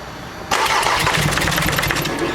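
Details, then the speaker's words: VW Amarok diesel cranked right after timing belt failure and new belt fitted, owner fearing open valves: starter cranks steadily with slightly uneven beat but never catches; cranking, no start, valve damage suspected, not confirmed. "wider up mate i think that's got open valves"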